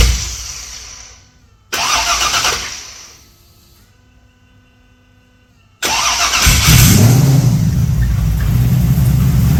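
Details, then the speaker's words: Start after injection was restricted on the back two cylinders, which were getting too much fuel on cold startup and fouling plugs. The engine catches cleanly and settles into a steady, deep idle with no misfire; temperature is at 61–62 degrees. "so starts and runs all right turn the ring Scotty what have we got 61 62 degrees"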